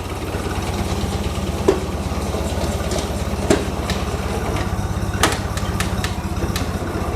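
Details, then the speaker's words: International 184 tractor idling after sitting outside: steady, even low putter with a few stray clicks, likely an access panel rattling against the frame; idles smoothly, healthy. "it's been sitting outside for a little while now and seems like it's idling perfectly fine again we're gonna let it sit and see what it does"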